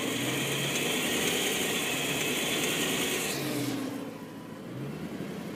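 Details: 2010 BMW M3, recorded from underneath after over an hour of driving at full operating temperature, at specific rpm: fast, fairly regular metallic ticking like something loose inside the lower engine; cause unknown.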